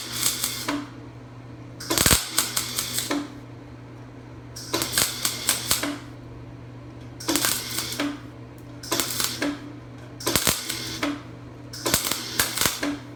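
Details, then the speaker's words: Craftsman 196.205690 MIG welder: short welding bursts with a flat steady buzz instead of bacon crackle, arc not getting hot enough, poor penetration; MIG arc buzzing instead of crackling. "it's not really any better you can probably hear it there's none of that bacon crackle it's just it's a more like a buzzing she's not getting hot enough penetration is poor"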